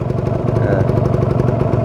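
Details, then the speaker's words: Warmed-up Kawasaki Ninja 150 RR two-stroke, original exhaust: quick, even popping holding steady just above 1000 rpm, temperature risen, no hunting or misses; warmed and ready to ride. "Hai Oke kawan-kawan ini RPM sudah cukup naik diatas 1000 ya dan sudah stabil temperatur juga sudah mulai naik Nah berarti ini sudah hangat sudah siap digunakan"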